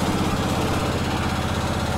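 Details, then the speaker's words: Kohler K Series single-cylinder on a Cub Cadet 149 after valve adjustment, briefly warmed, at raised throttle; light quick ticking rising with rpm, sounding top-end. An intake valve was found short on clearance, seats likely worn: valve train chatter. "now the chatter is still there i don't know how you'll be able to hear it or not"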